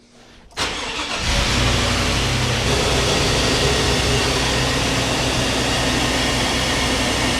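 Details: Chevy Vortec V8 GMT800 truck with a brief crank, quick clean catch, then a steady even idle with no misses or knocks. Fuel pressure just over 50 psi at key-on and about 47–50 psi at idle; starts and runs normally.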